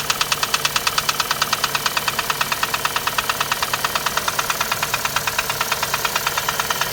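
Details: Chevrolet Cruze 1.8 Z18 engine at idle: sharp, even tick-knock about three times a second over the idle; engine knocking, cause not yet determined.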